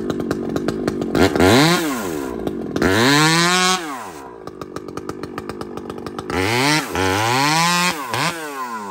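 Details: Chainsaw (a 395) with 3/8 chain cutting a cedar log screams near full revs and barely pulls down in the cut, chain not biting; slow cutting because the rakers are set too high.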